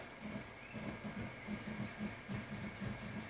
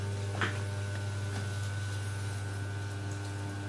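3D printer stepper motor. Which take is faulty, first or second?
first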